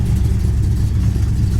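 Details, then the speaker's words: 1969 Plymouth Road Runner, V8 with Hooker ceramic-coated headers, warm idle: deep, lumpy, steady rhythm, no knocks or ticks; sounds like a mild upgraded cam; not overheating, about 165–170 degrees; healthy. "this thing sits here in idols and it's just sounds great it's got sounds like it's got a nice cam in it little upgraded cam"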